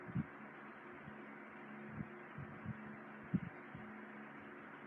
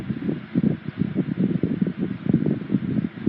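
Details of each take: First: 1980s Sanyo 9-inch oscillating fan, model EF709R, serviced with motor oiled and oscillator greased, on low speed: soft steady hum under faint airflow hiss, few stray bumps; runs very quietly and smoothly. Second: 1980s Sanyo 9-inch oscillating fan EF709R, serviced and oiled, on high speed: rushing airflow with light quick fluttering rattle; not the motor, just fan vibration resonating through the base.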